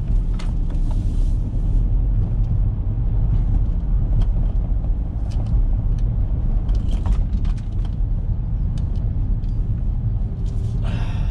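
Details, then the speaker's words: 2013 BMW F30 318d driven over cobbles: loose, irregular rattling clicks over heavy tyre rumble from the right front suspension. Suspected broken spring, worn strut top mount or loose strut top nut; nothing obvious found. "And now you can hear it, so you can hear it rattling like nobody's business. Now my initial thoughts are either a broken spring or a worn strut top mount, or could it just be a loose strut top nut?"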